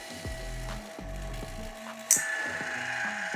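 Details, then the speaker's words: LOGOSOL Grindlux automatic band saw blade sharpener. Steady feeder clicking, then a thin light grinding hiss as the disc touches only the gullet, not the tooth face: feeder set too high and needs lowering. "and you could hear it touch the gullet but not the face of the tooth so we need to drop it a bit lower"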